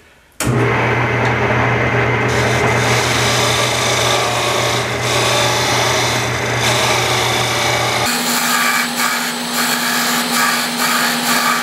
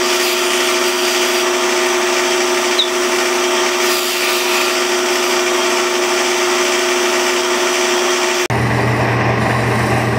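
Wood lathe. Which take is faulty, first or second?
first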